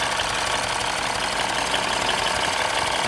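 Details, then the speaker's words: 2015 Mini Cooper S rebuild after reconnecting the loose induction hose: busy, fairly even idle with fast light ticking and no stumble or hunting; running better. "Basically, that hose was not connected, so it's running a bit better now."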